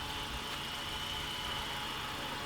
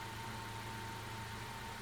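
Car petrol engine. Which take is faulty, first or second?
first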